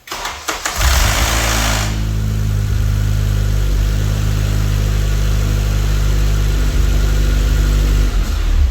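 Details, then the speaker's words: Cold first start of a 9th-gen car after a turbo kit, intake and clutch install, before a dyno tune: harsh metallic rattle for about a second, then a smooth idle. Timing chain/VTC actuator rattle on cold start; chain, tensioner and that side need replacing. "When you hear that noise, it's basically time to do the timing chain and replace everything on that side of the motor."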